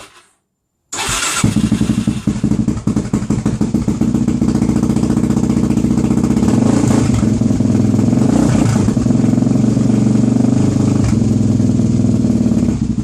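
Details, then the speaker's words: Suzuki DRZ400SM single, fuel confirmed reaching the carb, started with fuel cap off: thumps unevenly and stumbles around quarter throttle instead of pulling cleanly; rough running from fuel starvation, traced to a loose carburettor needle clip. "interesting you give it a bit big it's interesting on that sort of uh about quarter throttle it's not really enjoying it"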